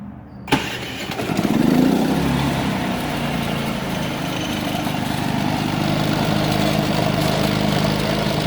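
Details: Predator 3500 generator with 131 hours, warm after about half an hour of running, after cleaning the idle jet and adjusting idle for surging and stalling. Catches within a second, rises briefly, then settles into a steady drone: healthy start and idle.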